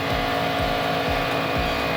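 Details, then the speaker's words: 2010 Chevy Monza after fitting a new TPS and a new MAP sensor that cleared MAP P0106 and TPS P0122/P1122: no codes remain, TPS reads 500–510 and MAP 42 kPa, with a steady, even idle and no stumbling. Repaired and running properly. "Ya lo tenemos encendido ya no tiene ningún código"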